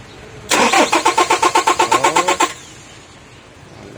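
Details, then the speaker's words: 2023 Toyota Hiace cranks but won't start: starter spins the engine at an even, brisk beat for about two seconds with no firing, no supply reaching the fuel pump; EFI relay suspected and being replaced. "Ayaw gumana. So wala yung okay na. Walang tawag to. Walang ano. Walang ah supply yung ano yung fuel pump."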